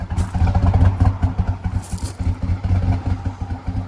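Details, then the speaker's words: Harley-Davidson edition Ford F-150, towed in because it wasn't running right: lumpy, stumbling idle with uneven beats and dropouts, shaking badly before shutdown. Bad misfire; all eight coil packs and spark plugs are to be replaced first. "no so yeah she's shaking bad let's shut her down"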